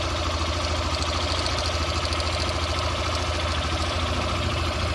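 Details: Motorcycle at idle, engine noise diagnosis: steady idle with a loose rattling chatter and light ticking; cam chain slack from a worn cam chain tensioner, plus valve tick showing it also needs a valve adjustment.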